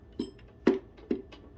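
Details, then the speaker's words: 2006 Kawasaki ZX10R engine, crank still, piston rocked by hand with an extension and screwdriver: four dull metallic clunks about every half second, showing roughly 1/8 inch play; likely both rod bearings on that cylinder are worn. "but that is uh that is our bad one so far there might be more than one but that's at least one and it's about it looks like both bearings because that's about eighth inch"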